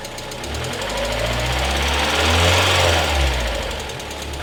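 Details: 1991 Mazda Miata, stock engine with pod filter, 85,000 miles, timing belt not yet replaced: light quick ticking over a low steady idle rumble, suspected lifter/valvetrain tick.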